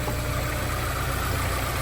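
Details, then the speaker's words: Honda S2000 that sat 4 years, after all fluids changed and injectors cleaned, idling during coolant bleeding with bleeder bucket on: low, even idle with steady beat, no knocks, misses or hunting; normal smooth idle. "There we go. So you hear how smooth the motor is. We're still bleeding it."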